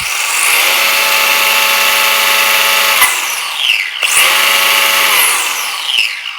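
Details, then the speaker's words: Tamiya TT02 RC car with Hobbywing 9T brushless motor and speed controller on a bench test: clean high whine climbing smoothly, holding, winding down and spinning up, with the ESC fan audible. Forward and reverse work with plenty of punch. "As you can see, it seems to be working quite nicely. It's got a lot of punch."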